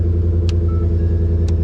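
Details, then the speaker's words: V8 flex-fuel pickup at auction, 169,000 miles, base model: deep, even rumble at idle with a steady beat and no knocks or misses; sounds healthy. "base model is Hell on the inside she runs gosh he sounds good"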